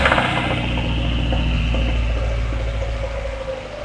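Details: 1995 MX-5 Miata, over-revved on a missed shift, head off and reinstalled: rough, uneven knock of about four beats a second under the idle drone, smoke from the exhaust; owner suspects a bad bearing, not confirmed.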